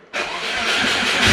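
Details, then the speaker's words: Turbo Subaru after a DIY exhaust manifold to up-pipe adaptor, started with the throttle held down a bit: a sharp raspy hiss and chuff over the exhaust note shows a big exhaust leak. The owner suspects the V-band, which was sanded flat and is not lined up properly. "Oh yeah, big exhaust leak. Big exhaust leak, man. Where was that coming from?"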